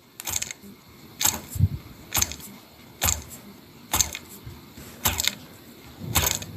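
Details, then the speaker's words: Hubsan H501s drone motor damaged after unbalanced aftermarket Chinese foldable blades, spindle ruined: short gritty rattling bursts about once a second as turned by hand; loose debris inside damaged motor. "you can hear bits and pieces inside the mic so I'm going to strip it down a little bit and see if I can save it"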